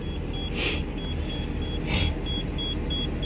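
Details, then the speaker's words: Short high beeps about once a second over a low engine rumble from a 2014 Thor Palazzo XCS motorhome, Freightliner chassis, Cummins diesel, in neutral; low air pressure warning with parking brake released while air rebuilds and airbags inflate, during desiccant filter replacement. "I push the brake like that it'll stop beeping so let's see what happens"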